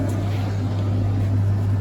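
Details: Beko DTIKP71131W heat pump tumble dryer, water added, pump suspected faulty: steady low motor hum with an even drone and no knocks or scraping; drum turns smoothly and sounds healthy.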